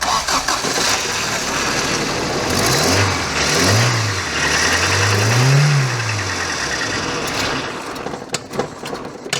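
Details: Toyota 4Runner left 10 years, after new plug wires and a new fuel pressure regulator: the starter cranks, the engine catches with uneven surges, then dies. It won't stay running; the owner suspects air, and it later runs better with the MAF unplugged.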